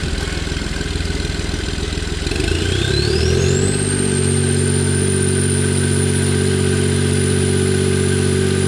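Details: Smart car with plugged EGR valve not closing fully, code for insufficient EGR flow: steady even idle with smooth low beat and constant high whistle, no misses or knocks.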